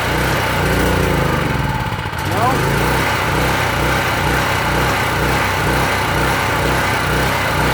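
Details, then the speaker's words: PowerSmart PS44 3000W generator that sat unused since 2017, unloaded: runs steadily on choke, then stumbles and dips as the choke moves toward run, lumpy and wanting to stall; owner suspects poor fuel delivery or weak old fuel. "It's running, it's jogging. When I put the choke to run, it wants to stall."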